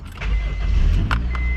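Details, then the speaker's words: 2000 Honda CR-V, 170,000 miles, theft-recovery Copart car: a short crank, then it catches at once and settles into a steady even run, a healthy quick start. "still fires right up and there we go we got some jams"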